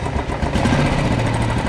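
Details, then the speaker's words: Old restored Royal Enfield Bullet 350 after replacing the carburettor flange rubber, which had caused low pickup and stalling when the throttle was released: a steady single-cylinder thump picks up cleanly with no pops or backfires; now revving normally. "सो भाई हो गई start अब initial तो रुक रहा है इसका पहले तो रेस छोड़ते ही ना बंद हो जा रही थी तो यह देखो अब सही"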